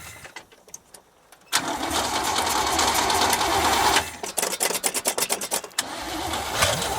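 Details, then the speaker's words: 1973 GMC square-body small-block Chevy V8, parked since 2001, cranks, catches and runs with a full even roar, then is re-cranked and picks up again; steady firing, no knocks, lots of oil pressure. "sounds pretty healthy yeah I'm going to fill the float bowl and just make sure it wasn't a fluke maybe give a couple rip thems huh mhm it's cut not L of gas it's got a lot of oil pressure so it's probably a good running engine"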